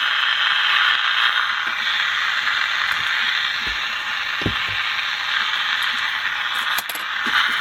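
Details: General Electric P-815A seven-transistor radio after replacing a capacitor: steady hiss-laden station tone with faint crackle; receiving and playing normally, though speaker sounds somewhat distorted.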